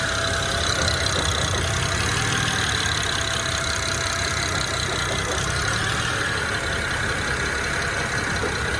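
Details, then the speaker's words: BMW E90 with manual clutch, warmed up, accessories off: rough idle with an irregular clack a couple of times a second, only with clutch pedal released (stops when clutch pressed), sometimes gone with A/C on; others suggest throwout bearing, owner doubts it, cause unconfirmed. "so here I go I let it out you can hear it immediately it's it intermittent though so there it goes"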